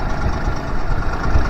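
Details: Honda BF25A 25 hp 3-cylinder four-stroke outboard during triple-carb mixture-screw tuning after fuel system overhaul, idle raised: steady low rumbling with even firing, no misses or knocks; idling smoothly after leaning the mixture.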